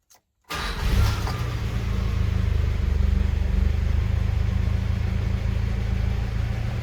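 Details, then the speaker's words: 1985 Mitsubishi Pajero after a Weber carburetor conversion with air-fuel mixture and idle screws adjusted: starts and settles into an even, steady low thrum with no misfires or vibrations, a healthy idle after the earlier rough running. "idle, no misfires, no vibrations, just a healthy ass engine."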